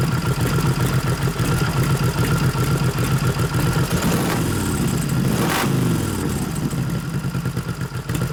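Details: 1989 Harley FLST Softail with aftermarket 93ci panhead stroker conversion (3-5/8" bore x 4-1/2" stroke) during tune-up: uneven lope at idle with beats dropping out now and then; intermittent misfire, ignition suspected, not confirmed.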